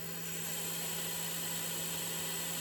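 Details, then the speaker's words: Original Tormach RapidTurn spindle run on the high speed range before comparing the replacement unit: smooth, even whoosh with steady low hum, no ticks, rattles or tinkle; really quiet, normal spindle run. "a lovely smooth sound no beer in tinkle [Applause] that's perfect it's really quiet"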